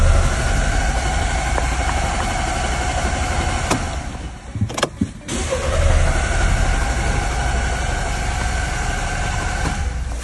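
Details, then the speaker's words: Car cranks but won't start: steady starter cranking that never catches, pause, more cranking; suspected blocked ignition signal traced to the camshaft position sensor, found fouled with sludge. "The car won't start no matter what. Do you know the reason? Let's go to the front. I suspect that the ignition signal transmission is blocked."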